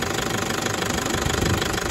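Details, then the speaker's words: Toyota 1KD-FTV D4D diesel the day after injector work, started cold: fast metallic knock over normal clatter cycling 10 seconds on, 10 off, only at idle; fuel pressure or water suspected; later fixed itself. "so 10 seconds on 10 seconds off only does it at idle"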